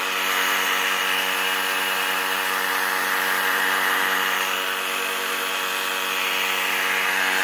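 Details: Used Craigslist air compressor switched on: loud steady pump roar with busy clatter and hiss over everything, running hard; air leaking somewhere.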